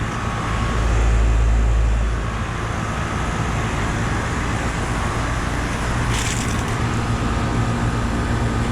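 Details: 2018 Lennox T-Class five-ton air conditioner running in 102°F late-afternoon heat: steady even low hum from condenser fan and compressor, no rattles or knocks; working good, normal running.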